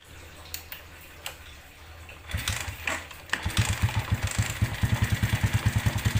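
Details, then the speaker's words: Suzuki New Smash motorcycle at idle: harsh rough knock pulsing two or three times a second from clutch area, caused by a loose clutch stud that came out; refitting it restored normal sound. "Hari ini atau siang ini kita kedatangan Suzuki New Smash, dimana kondisinya seperti yang kita dengarkan tadi dari awal, bahwa suaranya kasarnya luar biasa."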